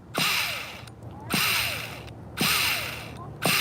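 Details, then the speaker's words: Vintage 2002 Tamiya Terra Crusher 1/8 nitro monster truck, very cold, starter one-way bearing slipping: short whirring bursts about once a second with no engine turning over or firing; pretty much nothing happens. "well when the one-way bearing is slipping you pretty much got nothing"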